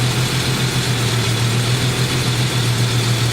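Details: Jeep engine with stalling problem, firing order 1-5-3-6-2-4; lopsided, shaking idle as two loose fuel injector connectors kill cylinders 1 and 3 when touched, misfire.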